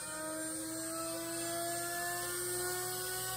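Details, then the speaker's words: Chinese spindle replacing a router that caught fire, switched on and turned all the way up; it ramps up slowly with quiet, clean tones climbing smoothly in pitch over a faint hum, no grinding or rattle; very quiet, rpm unknown. "of sounds epic kind of like a rocket about to take off or something i actually don't know the rpm of this spindle um but it's running it's beautiful it's very quiet"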